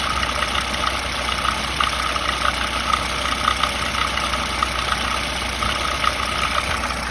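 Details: VAZ 2107 engine at idle: sharp, regular ticking knock about two to three a second over a steady idle; engine knock, source not pinned down.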